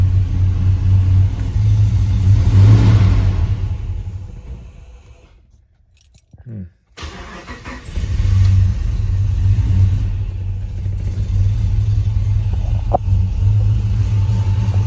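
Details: Hemi-swapped Grand Wagoneer cranked after replacing a sensor: engine stalls briefly, then settles into a slightly uneven low idle; previously bogged once warm, running-rich cause not pinned down.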